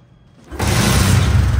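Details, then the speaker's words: Used Bajaj Discover 125 CBS motorcycle with run-down battery, kick-started: fires on the first kick and settles straight into a deep, steady, even single-cylinder thump at idle; engine sounds in showroom condition. "প্রথম কিকই কিন্তু start হয়ে গেছে। ঠিক আছে, sound কোয়ালিটিও একদম showroom condition sound এবং engine নিয়ে কোনো ভাবার কোনো দরকার নেই,"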